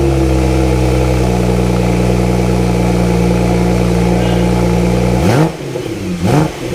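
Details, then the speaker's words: Wrecked Porsche Turbo S rebuilt with GT2 RS conversion exhaust, first start after both intercoolers installed: smooth idle then two crisp rev blips rising and falling cleanly; exhaust even, not too loud or quiet, no rasp or leak. "Alright, you guys heard the exhaust. Sounds really nice and clean. Not too loud, not too quiet."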